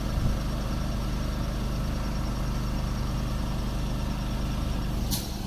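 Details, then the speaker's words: Small mid-grade air compressor building pressure while blowing out a sprinkler system for winterizing; steady low motor drone with a brief hiss near the end as the tank reaches full pressure, running normally. "okay i heard the noise the compressor build up"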